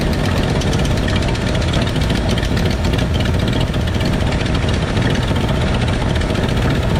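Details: 1968 Ford F100 V8 at a steady idle with the valve cover off: fast, light clacking on top as each rocker is backed off until it clacks during valve adjustment; valve train clatter from loose rocker adjustment.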